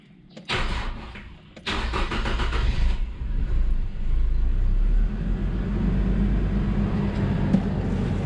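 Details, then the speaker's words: Stock Nissan Silvia S15 started after battery reconnection during basic maintenance: short crank, pause, another crank, then fires and settles into a steady, even idle; starts and runs fine. "All right, and that is it. All right, as you can see the Silvia is starting. She's running"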